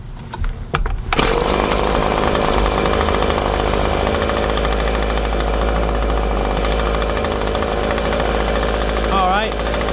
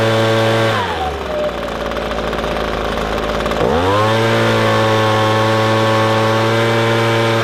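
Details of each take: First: Echo ES-250 leaf blower (same engine as PB-250) held wide open while the high-speed mixture screw is turned left: a steady high two-stroke buzz that wavers as it clears up. Bogging and lack of power from a lean high-speed mixture. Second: Echo ES-250 leaf blower (same engine as PB-250) after turning the adjustment screw left while running wide open: revs dip briefly then climb to a clean, steady high-pitched full-throttle drone, no bogging; bog fixed.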